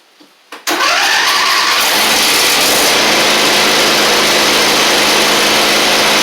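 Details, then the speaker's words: Husqvarna LGT2654 lawn tractor after new fuel lines and tank, varnished carb still fitted: quick crank, catches at once and settles into a steady, even idle with no misses or knocks; normal start and idle. "Considering how much varnish is in that carb, the fact that it runs that well is I'm going to do, I'll show you."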